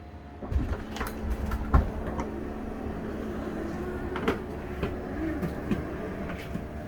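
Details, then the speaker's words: 2004 Country Coach HWH slide room coming in on test two after track roller adjustment: low motor drone with a few light knocks and creaks, runs smoothly without binding or grinding, almost fully in. "sounds nice beautiful that should be close enough"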